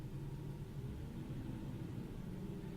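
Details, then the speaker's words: Ford 5.4 V8 in park, A/C off, no load, throttle cracked to about 1400–1500 rpm: an uneven, lumpy, rough misfire just off idle. There is no misfire under load at the same rpm, and fuel trims are perfect. "like a sweet spot to get there right there it should be at two more it's like rough 1500 under with no load about 14 1500 no load it does it pretty bad there right there"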